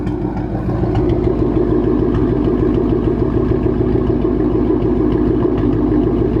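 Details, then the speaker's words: Supercharged 2013 Mustang GT V8 with recurring P219A bank 1 code; rough lumpy idle with irregular exhaust popping and spitting, idle misfire, owner hopes it's a coil pack. "i really hope it's just a coil pack or something like that i don't know if you guys can hear it i'm sure you can but it's spitting"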